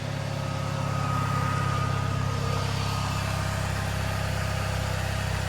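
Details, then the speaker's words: Pontiac just after fitting a replacement for the failed starter: steady, even low rumble at idle with a smooth regular beat and no knocks or misses; normal idle. "But I'm gonna take this off, put it up there, and hopefully that'll fix it. I don't know. Hell yeah, brother. It's alive."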